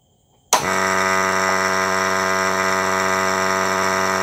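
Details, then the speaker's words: Water pump motor on a dormitory control cabinet with electric float switch, switched on in auto mode: motor kicks in and settles into a steady even hum without knocks or roughness; system working normally, no further checks needed. "นะครับผมอ่ะไม่ก็คือเป็นระบบเดม่อนก็คือเราใช้งานได้ปกติทุกอย่างนะครับผมก็จุดอื่นเราก็ไม่ต้องไปเช็คแล้วนะครับผมเพราะว่าระบบนวลใช้งานได้นะครับ"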